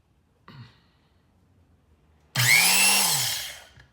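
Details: Vintage Rockwell Porta Band 725 portable bandsaw during reassembly after new bearings, seals and cord, lower wheel housing fitted, sprocket turning clockwise: high whir spins up and winds down over about a second, smooth, no grinding or clatter; normal motor run.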